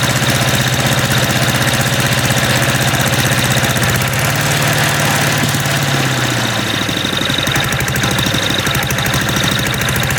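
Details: MTD walk-behind lawn vacuum blower after sitting about three years, engine hot: loud, harsh, uneven rattling beat with wandering speed, dislikes throttling up and down with choke off; rough running.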